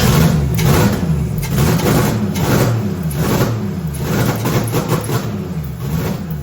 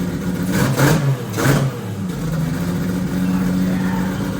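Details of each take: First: Toyota Celica with 2JZ engine swap, first start after about three years after fixing ignition via ECU pin arrangement: catches and runs with a lumpy, uneven beat around three to four pulses a second, then shuts off; runs, idle still rough. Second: 2JZ-swapped Toyota Celica, first start after a three-year build: two quick throttle blips then lumpy, slightly uneven idle with black smoke; running very rich because the fuel pressure regulator was accidentally set to about 75 instead of 60.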